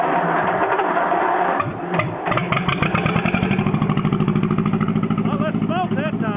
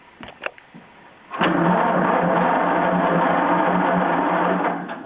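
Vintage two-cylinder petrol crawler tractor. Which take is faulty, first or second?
second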